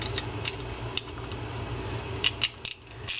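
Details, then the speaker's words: Tsunami Spear 8000 spinning reel (single ball bearing) during a service, with the drag tightened: sharp uneven clicks as the spool turns back. The drag click ratchet is working normally, signalling line being pulled off. "Tighten up that drag. And here's you can hear that clicking. That's the purpose of that click ratchet underneath there. It'll let you know you're back spooling your line off if you are fishing with that drag."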